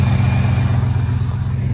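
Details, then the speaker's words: Old Ford truck, engine the owner calls mint, running without throttle linkage: idles by itself with a steady low rumble and even firing pulse, no knocks or misses. "it idled by itself. I don't know what to do here. This truck, the motor's mint."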